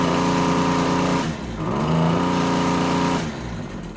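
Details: RedMax TRZ230S two-stroke string trimmer held at wide open throttle: buzzy note surges and sags unevenly; rough running, air filter found pinched and soaked, fuel leaking.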